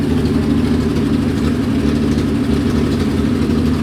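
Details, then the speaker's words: Nissan 240Z with junkyard replacement engine, idling a few minutes: lumpy, uneven low beat with weak firing; front bank of cylinders not firing, with no suction at one carburetor; compression test shows one cylinder at 180. "These front cylinders aren't firing. Gauges are working now, they look decent. But why is that front bank not firing?"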